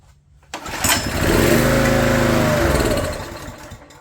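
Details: Old Honda EG1400Z open-frame generator after new spark plug, half choke, fuel on: a pull fires it, it revs briefly, then sags and dies within about three seconds; runs only on choke, carburetor issue, jet possibly plugged.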